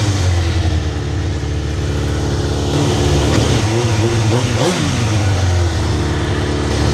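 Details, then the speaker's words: Older sportsbike on first cold start after purchase, old fluids not yet changed: deep even idle rising through clean blips and falling back smoothly, no knock or rattle; sounds awesome, though running a little rich (smell), dyno tune suggested. "But listen to that, sounds awesome."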